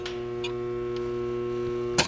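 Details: Home central A/C compressor on a 102–105°F day: steady loud electrical hum for about two seconds with no run-up, then a click as it cuts out; compressor stalled and not starting, cause suspected, unconfirmed.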